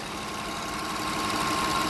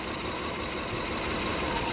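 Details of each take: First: Toyota Kluger V6 (3FE) after replacing a solenoid that had caused a rich-running misfire: steady, even hum with no stumbles at about 650 rpm, engine smoothed out; smooth idle. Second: Toyota Kluger V6 (3FE) idling around 650 rpm during misfire diagnosis: cylinder 2 disconnected for a power balance test, the idle note sags with an uneven, loping beat and RPM drops.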